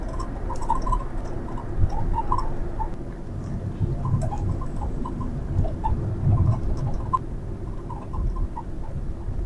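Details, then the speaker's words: Toyota HiAce while driving: short, high chirping squeaks pop up irregularly over road rumble, heard behind the driver's ear on the right rear side; the passenger side was quiet. "キュルキュル音。運転席に座ってると耳元の後ろで鳴ってるから、耳障りだよね。"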